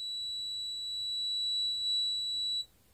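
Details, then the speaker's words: Multimeter capacitance test on a capacitor: one clean high beep holds about two and a half seconds, then cuts off as it charges and a value appears; normal charging beep, capacitor good. "Look, this gave me a beep sound. The screen is a value. A value came to the screen."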